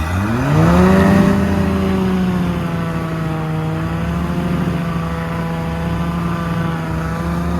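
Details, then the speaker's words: Volvo Penta 4.3 with aftermarket throttle body fuel injection, boat load test in a tank, held at about 3800 rpm in forward: steady high-rev tone surging slightly, bubbles at prop; propeller cavitating; engine temperature 148–150 with 195 thermostat, running cold. "3800 yeah cavitating the prop a little bit I can hear it kind of surge all right well you could see the bubbles around the prop it would cavitate the prop"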